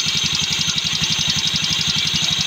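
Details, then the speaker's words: Yamaha Mio Sporty scooter with a light, rapid, even rattle over the idle, quieter than before but still present; the starter bendix spring is weak and loose, and one bearing had fallen out, making starting hard; starter bendix rattle. "so medyo nabawasan ung kanyang tagiti kumpara kanina talagang malakas so iba-iba ni iba-iba na yung tunog niya ngayon"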